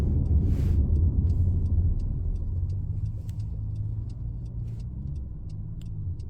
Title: 2015 Honda CRV Touring Loud/Humming Noise coming from the back